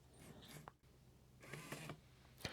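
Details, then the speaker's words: PlayStation 1 CD drive sled motor run on about 3 V before cleaning: short, quiet, crunchy, gritty whirring bursts as the sled travels, from dried-out grease in its gears. "definitely sounds a little crunchy"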